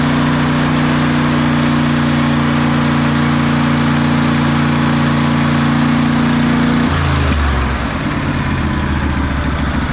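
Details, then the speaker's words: 2004 Craftsman DLT3000 lawn tractor single-cylinder engine idling smoothly after carb cleaning, fresh gas and new fuel lines, note dropping near end; normal idle. "well that paid off listen to that idle fresh gas good fuel lines that's what it needed"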